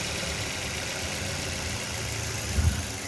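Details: 2022 model petrol car that had a P0300 random/multiple cylinder misfire with the malfunction light on, after reconnecting a loose injector connector: steady, even idle with no stumble or shake, warning light off; now running normally.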